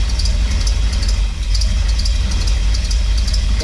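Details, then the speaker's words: Untested Craigslist Chevrolet small-block 350 V8 newly installed in a Chevy van, timing just advanced: loud steady idle with sharp high chirps coming irregularly a few times a second; chirp source unknown, timing to be checked with a timing light. "don't know what that chirp is weird so before we go any further let's drag out the timing light"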